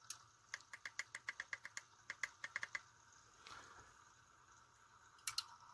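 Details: Small replacement motor in a 3D-printed camera arm, run at reduced voltage of about 3.5 V: gear whirring with a light, even ticking about six per second, noticeably slower but steady. Not enough at about 2.75 V. Normal running.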